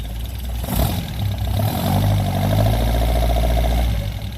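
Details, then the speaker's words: Singer British roadster, stone cold, just converted to 12 V negative-ground electronic ignition, timing not yet set: low, even burble of about four beats a second with no misses; starts right up and idles smoother than before. "Oh yeah, started right up. Ooh, that even idles smoother already, I can tell."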